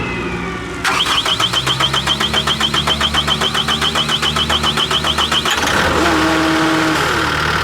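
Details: 2024 CAT 289D3 skid steer diesel after a crank-no-start fix: the water separator bowl had not seated after draining and was replaced, then the fuel was primed. A fast warning chime sounds at start, then the engine settles into a steady, even idle without stumbling.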